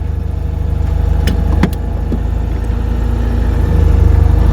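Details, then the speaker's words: Citroen "Ellie" started after being parked, with fuel having drained back from the carburettor so cranking builds oil pressure first: a steady, even low thrum at about 220 beats a minute with no misses or knocks. Normal idle. "Some fuel there somewhere, Ellie. There it is. Oh, such a lovely engine."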